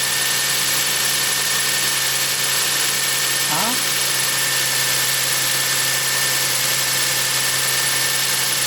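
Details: 2000 Toyota Sienna, 207,000 miles, after new battery fitted for a no-start: steady even idle hum under constant high hiss, no knocks or squeals; engine and charging healthy.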